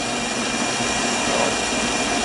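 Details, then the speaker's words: Lathe turning a 1-3/4" diameter 1018 steel rod slowly with cutting oil: a steady, hissy cutting noise with a faint high ringing as the tool starts to chatter because of the large diameter. "The diameter is pretty good size too, so I don't want it to chatter either, and it has a tendency to do that. So you can hear it starting to chatter"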